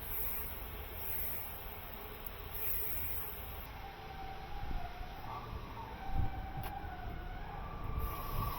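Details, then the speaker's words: CAT 310 plunger car-wash pump running at only 800 psi after a valve and seal service: a thin, wavering, climbing squeal over the pump's low rumble. The drive belt is thought to be slipping; burning rubber was smelled earlier. "All right, I think the belt's slipping. That's what that problem is. Yeah, that's the I reckon that's the belt slipping."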